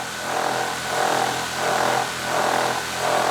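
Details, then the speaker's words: DJI Mavic Air 2 with aftermarket Master Airscrew propellers idling on a metal table outdoors: steady motor whine swelling and fading about 1.5 times a second as the drone vibrates and rotates a full 180 degrees untouched. "spinning up the master air screw props and look at that i'm not touching the yaw or the stick or anything it is uh doing a full 180"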